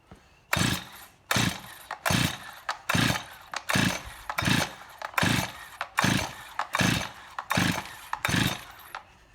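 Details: Stihl MS261C first-generation chainsaw, rebuilt carburetor, white fuel solenoid fitted, decompression valve in, run position: pull-cord strokes about 78 a minute, whirring rasps with no firing; cranks but won't start.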